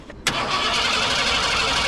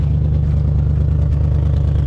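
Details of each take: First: 1987 Ford Bronco, off the road about 10 years, fuel rails purged with fresh fuel: starter cranks with an even, regular rhythm and good compression, then the engine fires; brief valve tick fades, suspected exhaust leaks, no misfire. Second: Junkyard 1987 Ford Bronco V8, first start: deep, slightly ragged pulsing under light revs after a brief valve tick went away; owner thinks exhaust leaks, not a misfire, maybe one dead cylinder.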